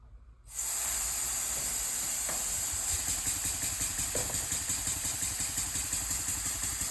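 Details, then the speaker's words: Elmer's #33 mill model steam engine, first test run on compressed air at about 20 PSI: strong steady hiss over soft even chuff; air leaking around the cylinder head and packing nuts. "So, I can see we're leaking a little bit of air around the cylinder head there. And sounds like and feels like we're leaking a little bit air around the packing nuts."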